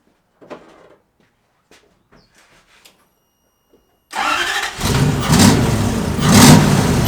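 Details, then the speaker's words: 1UZ V8 swapped into a 1989 Toyota pickup, first start after tuning so it idles: catches and revs in rough surges with a sharp pop on one blip; a backfire when revving, otherwise runs and sounds good. "that was quite the backfire in there but hey it freaking runs and i can rev it up and uh it sounds good"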